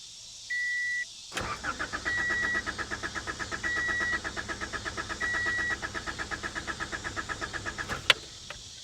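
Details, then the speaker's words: 1985 Honda Accord 1800 with 62,000 miles, after blown fusible links were replaced. The starter cranks steadily at about three beats a second for six seconds with a chime but never fires, because the fuel gauge shows the tank empty. "she's got no gas completely out according to the gauge well she cranks"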